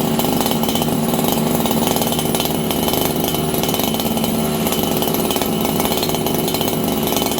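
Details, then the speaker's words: Farmertec 288XP kit chainsaw, just restarted on a new spark plug after an ignition repair, at about 5°C, before low-jet tuning: holds a high, thin, steady scream with no burble or four-stroking. Running lean, attributed to the cold. "This thing's running lean right now, and the reason is, friends, it's like 5 degrees Celsius."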